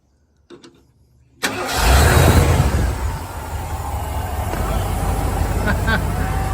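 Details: 1990 Ford F150 351 V8, first start in years on an external switched fuel pump: starter catches, engine fires with a loud surge, settles to a fairly even idle before the pump tips over; engine starts and runs.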